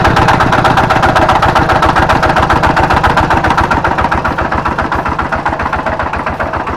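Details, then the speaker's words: Kubota diesel tractor that starts easily with good power and compression and a fine fan bearing: hard, even knock about four times a second at idle, a rough sound attributed to a worn bearing at the flywheel end. "Suaranya sangat kasar sekali ya ini dimungkinkan menurut saya ini bisa jadi ini adalah lakernya atau piringnya dimana piring yang dekat dengan roda gila atau bearing yang dekat dengan kita tidak tahu baik"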